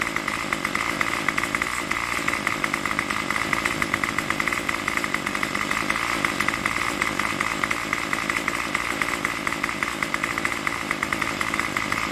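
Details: Craftsman Weedwacker trimmer 316.791191 after repair (MTD 27cc two-stroke, Zama carb), running without choke: fast, even buzz with a high whine holding steady, no misses or hunting; tach reads about 2600–2700 rpm. Runs normally.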